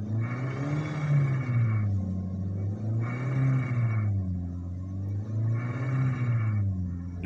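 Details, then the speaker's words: Suzuki Swift engine revved repeatedly: harsh rattling knock appears above 4000 rpm at each peak and fades as revs drop; owner suspects worn con-rod bearings (metal jalan) or camshaft, checking them; not confirmed. "jadi pada saat digas pada RPM 4000 ke atas itu terbunyi suara k pikiran saya sudah ke mana-mana ya kan yang ditakutkan harus turun mesin harus dengan biaya yang mahal"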